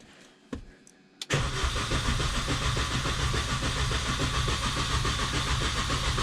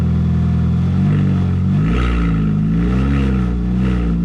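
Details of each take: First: R53 Mini Cooper that won't start after refueling: even cranking about three and a half beats a second for seven seconds never catches; fuel delivery fault suspected, ECU earth wires being checked. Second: R53 Mini with no exhaust fitted, running after being primed to fix a no-start: deep, raw open-pipe roar that revs up smoothly and settles back evenly; engine runs clean with no misses.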